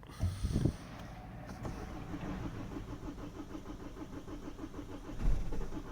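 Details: Kia Sportage / Hyundai Tucson diesel after preheating: cranks with a quick, even chuffing rhythm for several seconds without firing, smoking and smelly once it goes; slow, reluctant cold start.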